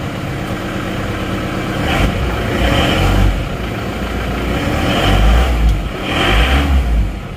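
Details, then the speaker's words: Panther diesel, first start after an engine rebuild (one cylinder liner, piston rings, gaskets): even diesel clatter at idle, and short throttle blips drop straight back to a steady beat. The idle is stable and healthy. "stabil Ya sudah langsung stabil jadi start awal stabil tidak goyang"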